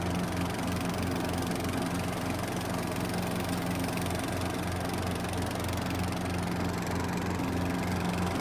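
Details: Neglected lawn tractor, small single engine, after a quick fix: the PTO belt had been flying off when the blades engaged because leaves jammed the linkages. It now runs steady with the deck whirring under blade load, a little uneven but pulling fine.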